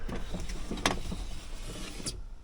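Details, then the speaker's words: Chevy S10 driver power window: short, strained motor whir broken by clicks and a sharp snap, then stops dead; window track binding and failing, to be fixed before a long road trip. "I also have a really bad problem with my driver window and I'll show you why"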